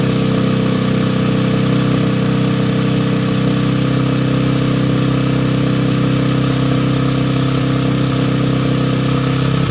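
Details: 2009 Yamaha TTR 125 after working on a leaky carburetor float and needle: small single holding a steady, even idle with a smooth beat, no misses or surging; carburetor seems to be behaving.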